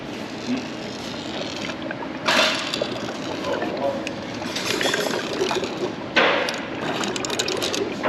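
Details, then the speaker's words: Torque converter removed from a 454 big block's failed TH350, rolled by hand: bright metallic rattling bursts, suspected loose needle bearings tumbling inside. The converter is done and the transmission is probably still good. "That sounds like some needle bearings rolling around. Sounds a little bit like a pinball machine when you roll it."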